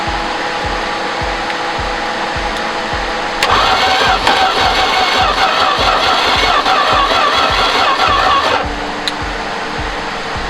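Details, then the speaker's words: 1973 Duster slant six, unrun 21 years, after first brief firing with exhaust mostly off: steady cranking about 2.5 turns per second, picks up briefly but never catches; owner suspects more gas needed, later finds bent distributor rotor pin. "let the starter cool a little bit maybe i need a little more gas"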